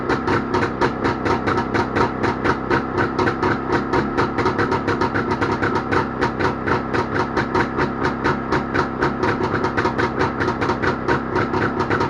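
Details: Jawa motorcycle two-stroke engine started after repair, popping in an even, steady rhythm at fast idle with no misses or knocks; normal running.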